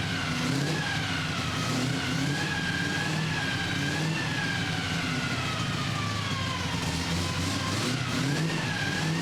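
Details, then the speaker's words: 1965 Chevy C10 with carbureted drag race 327 V8: loud revs rising and falling smoothly through repeated throttle blips, clean and crisp with no misses or knocks; healthy engine. "Man, that thing sounds so cool. You got to hear it from the back."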